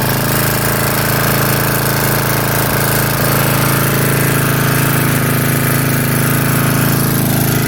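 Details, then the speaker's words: 1982 Snapper Comet riding mower, 8HP Tecumseh single-cylinder, electric start, estate-sale revival: loud steady chug at constant speed, no misses or surging; fully operational, blade sharp. "That's it. It's done. Everything is 100% operational, and the blade is like sling blade head chopping sharp."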